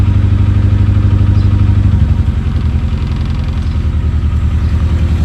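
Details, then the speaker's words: Rover 416 GTi non-runner that previously ran then cut out, first start after fitting the replacement part: idle chugs unevenly at about two stumbling beats a second, a lumpy misfire; cause not confirmed. "Okay, sounds a bit misfirey."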